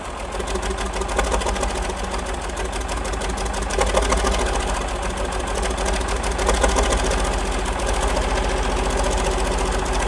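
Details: 1947 Cletrac FDE diesel crawler after sitting many years, started after freeing the injection pump, fresh fuel and heat, with a water leak and no fan belt: steady, even diesel idle clatter at three to four beats a second with no misses; runs well.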